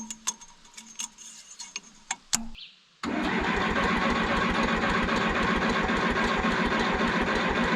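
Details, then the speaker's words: 1968 Case 580CK backhoe, 188D diesel, first run after seized-engine rebuild with freed pistons, fixed push rods and lapped valves, oil pressure present; cranks, catches and settles into a lumpy chug with a dropping beat; missing on one cylinder, cause unconfirmed. "It's missing on one cylinder for sure. It's not running well."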